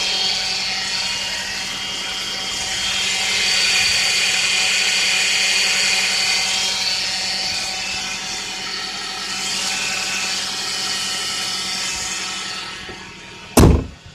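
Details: Power steering pump: steady high-pitched whine over the engine hum, caused by low fluid level; fix is topping up the fluid to the correct level.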